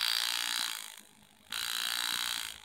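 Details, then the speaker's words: New engraving handpiece tested on the workbench, run by foot switch: two bursts of fine, high buzzing chatter, each starting and stopping cleanly; the handpiece vibrates smoothly, normal operation. "so the handpiece is vibrating you probably can't hear it now maybe you can hear it it's vibrating a little bit"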